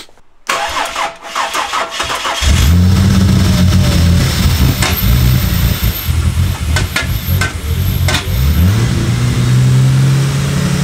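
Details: Barra-swapped turbo Ford EF Falcon on first start runs rough and surging, with an odd irregular knocking puff over the idle. It was caused by an unplugged MAP sensor leaving a large hole in the intake.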